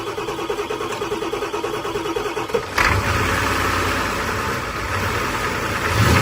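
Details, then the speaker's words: Ford 7.3 IDI diesel, first cold start after sitting about 11–12 years, using starting fluid: slow cranking into a ragged catch that only holds with the starter held; owner suspects glow plug relay not firing. "Oh shit! Holy shit. Tyler. We got it started! Yeah, you gotta keep it held, or it dies. Keep the starter held forward? Yeah, or it dies, and you can give it a little gas and it'll rev up."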